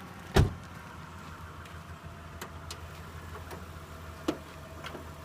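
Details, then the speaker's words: 2002 Mitsubishi Pajero Exceed, 271,000 km, idling with the hood open: low, steady, even hum with no knocks or misses, only a couple of clicks from around the car; idles smoothly. "So as you can hear, it's running very smooth."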